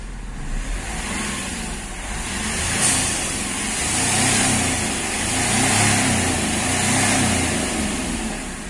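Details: Accident-damaged Hyundai Xcent after repairing a broken intake manifold and fuel rail pressure sensor (code P0193, engine knock), codes cleared: smooth, even engine note rising and falling with the throttle over street noise, no knocking or stumbling; running normally.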